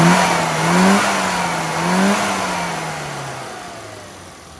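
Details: Classic Mini on the road after the carburettor, rebuilt by someone else, had the owner's original custom needle refitted and progression to full power adjusted: crisp throttle blips rise and fall cleanly, revs die away smoothly without stumbling; fuelling now correct.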